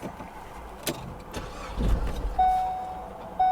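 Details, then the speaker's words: Auction vehicle at IAA Oklahoma City with crash damage to frame rail and scraped transaxle: short crank catches briefly, then engine dies leaving only a dash chime; starts then stalls, then restarts. "well it started then it died there it goes there it goes"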